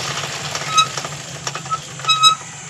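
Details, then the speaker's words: Suzuki Raider FI 150 motorcycle, wheel spun by hand: dry scraping with short high squeals from a dragging disc brake. The noise began after a brake pad change, and the caliper is sticking. "Kung mapapansin nyo nga kapag pinaikot 'yung gulong ni Dos, masyado ngaang maingay 'yung preno niya."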